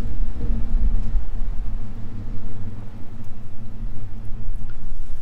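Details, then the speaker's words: Same truck after bleeding the calipers and applying CRC Disc Brake Quiet: only a low rolling rumble while slowing, with no squeal or ring at the spot where it used to squeal. Quiet brakes, no squeal. "And now nothing, man. It's quiet. It's amazing."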